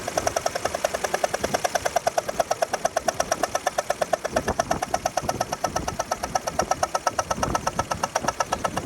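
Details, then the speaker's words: BMW 3 Series engine while driving: crisp, rapid ticking knock about three per second over the running engine, getting louder and faster with acceleration; source uncertain, possibly not internal engine knock. "Started hearing. And the faster I accelerated, the louder and faster the noise got."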